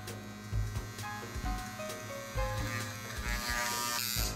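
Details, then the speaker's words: Modified Andis Outliner trimmer: steady even buzz, no rattle or stutter; powerful and quiet. "But yeah, that's good. So it's powerful and it's quiet."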